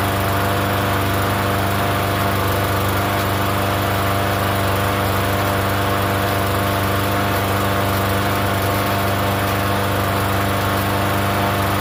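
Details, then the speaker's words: Free Yard Machines 21-inch self-propelled mower, not run in over a year, primed and started on gas: steady, even engine hum with no misses, knocks or surging; runs fairly healthy. "Okay, well it runs. It doesn't run too bad. So it's running on the gas."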